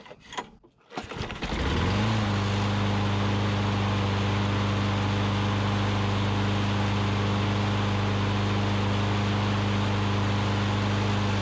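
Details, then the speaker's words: 2003 Troy-Bilt push mower after carb clean and O-ring fix, started without primer: catches within a second, settles into steady, even drone without surging or misfires, running healthy. "awesome well running great uh just one more quick overview we had the issue it needed a little bit of a carb clean"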